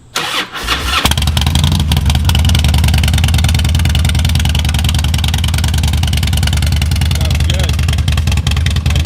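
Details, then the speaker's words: 2005 Harley-Davidson Road Glide after ThunderMax install, restart for warm-up idle cycle: starter cranks briefly, then V-twin settles into deep steady loping idle, no knocks or misses; AFRs in target range; normal idle. "Normal idle speed should be attained depending on the engine temperature. Warm-up cycle."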